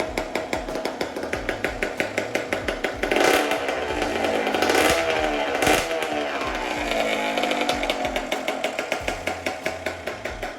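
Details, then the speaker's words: CR125 two-stroke after full rebuild, start with no intake fitted, Pro Circuit pipe: crisp, even popping at idle with a couple of clean throttle blips that settle straight back. Runs very well. "runs very well I'm actually very very surprised so I'm very glad"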